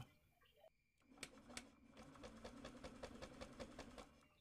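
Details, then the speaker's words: Honda Beat eSP scooter earlier judged to have a failed ECU, at key-on: soft steady hum with quick even ticking; fuel pump primes normally and spark is present, suggesting the ECU still works. "ternyata masih keluar percikan apinya dan pompa full pamnya itu masih bunyi masih dengung berarti itu masih bisa hidup ecunya masih bisa untuk menyalakan motornya"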